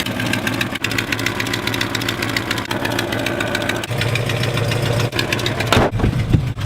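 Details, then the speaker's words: Old street-legal car driven on a trip with the exhaust pipe hanging loose: engine drones steadily under load with sharp irregular knocks every second or so; something bouncing around at the back, owner suspects the loose exhaust, unconfirmed. "did I did test this car so it's street-legal but you know sounds like something is bouncing around [Music] back there"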